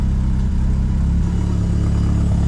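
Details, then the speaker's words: Merkur project car with smart coils, after the injector dead times were corrected and the ignition timing locked at a 312° offset with dynamic ignition: a steady, even low idle with no stumbles, sounding much happier. "All right, now give it a couple revs. Sounds much better. Sounds much happier."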